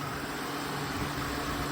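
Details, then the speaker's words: Flood-damaged (Hurricane Ian) truck, likely an '06 Silverado, heavily corroded: steady whirring hum with faint constant tone, no knocks; AC compressor heard running but not cooling, cause unconfirmed; assumed mechanically fine. "I assume this thing will be fine mechanically I hear the AC compressor going"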